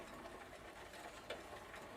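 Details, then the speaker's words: Old Dutch Phoenix Mentor single-speed bicycle after a complete drivetrain replacement: light, uneven scraping tick recurring as the crank turns in a quiet room; the plastic chain case trim rubs the crank arms, and the chain is too slack. "can you hear that stupid trim piece rubbing against the crank arms i guess that chain case does need a little bit more tweaking"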